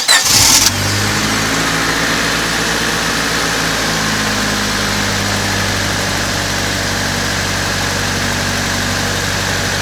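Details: 1999 Honda Civic coupe after oil temperature sensor replacement, fresh coolant and new spark plug wires following overheating; first start catches right away, settles into steady smooth idle, even beat, no knocks or misses; normal idle.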